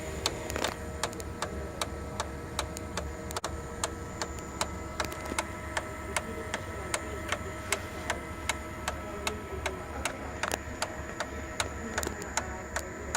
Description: Sharp MX6240N or MX7040N with loud ticking or knocking noise specifically during idle (not during a copy mode).